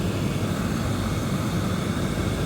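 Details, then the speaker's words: Roughly 2008 Lexus LS460 with about 200,000 miles, after replacing the noisy blower motor with a new unit: a steady, even low rush of air at full blast with no squeal, rattle or wobble. Normal blower operation. "Oh yeah, that sounds so much better. So much better."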